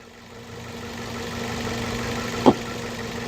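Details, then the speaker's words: 2011 Ford Focus after thermostat replacement (engine wasn't reaching temperature, rough warm idle): steady, even idle hum, no knocks or ticks while warming until the thermostat opens; running smoothly. "There's no tings or knocks or ticks or nothing like that."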